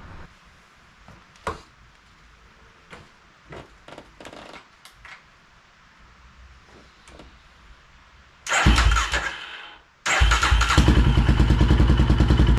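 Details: 2005 Polaris Predator 500 quad, engine freshly rebuilt, first start after restoration: quiet ticking at first, then the single fires and runs at a steady, even beat with no knocks or rattles; healthy.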